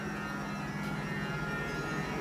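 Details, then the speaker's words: 2021 Jeep Wrangler 4xe plug-in hybrid, 300-volt electric AC compressor in hot, humid conditions: blower turned down from max to speed 1, steady loud electric hum and thin whine easing as duty cycle drops; normal, not a fault. "it's still pretty loud right now and you can hear it the duty cycle is starting to come down"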